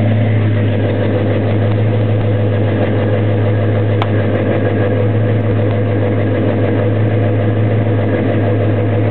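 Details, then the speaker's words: 1972 Chevrolet Chevelle SS convertible, 402 V8 with a top-end rebuild six months earlier, dual exhaust: it fires right up to a deep, steady, even burble with no ticks or knocks. Normal idle. "fires right up great tone from the dual exhaust chevelle sounds how you expect your muscle car to sound"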